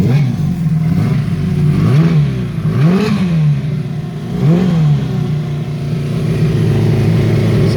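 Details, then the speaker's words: Honda CB350F four-cylinder motorcycle, first run after restoration, carburettors not yet tuned: revs blip up then slowly sag, idle hunting and never settling; sounds a bit rich with unburned fuel, vacuum leak suspected. "it sounds like there's a vacuum leak too [Music] that's classic vacuum"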